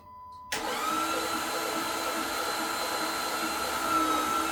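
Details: 2008 Dodge Charger 3.5 V6 running: a steady high-pitched whine holds an even pitch over the engine hum; source of the strange noise unknown.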